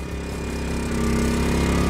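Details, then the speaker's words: Portable generator warming up while charging a Tesla Model X, load raised from 5 to 7 amps: steady buzzing with firm low drone, holding even speed; running normally under load, charging only 1-2 miles per hour. "you can hear the generators under a little bit more load there but still charging only between a mile to two miles per hour which is quite slow"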